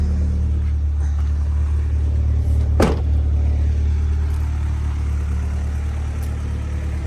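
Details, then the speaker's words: Honda B20 after fixing a high idle (~1800 rpm): dirty IACV swapped for one from a B16, new TPS voltage, throttle cable readjusted, new 70mm throttle body, just driven. Idle a little over 1000 rpm: low, smooth, steady, no hunting; idles properly. "I just swapped the iacv from the B16. Mine was a little dirty, but for the most part, got it idling pretty good now."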